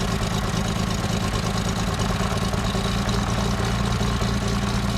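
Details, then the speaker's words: Aircraft engine that sat 15 years, run after tightening all six cylinder tops: steady low-rpm idle, otherwise smooth, with a slight uneven chug; maybe a pressure-carb adjustment, unconfirmed. "the run smooth otherwise otherwise except for this uh kind of low rpm this a little bit of an idle chug and can we tell if it's lean or rich i think it's lean"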